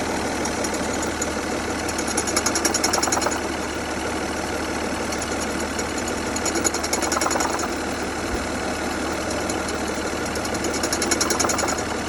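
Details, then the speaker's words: 2003 Saturn Vue idling: uneven ticking rattle and a hissy whirr swelling every few seconds; owner believes the AC compressor is shot or its pulleys, though the system was recently charged and the condenser replaced. "I believe it's the AC compressor. The compressor is shot. It's just the pulleys, but that's recently charged."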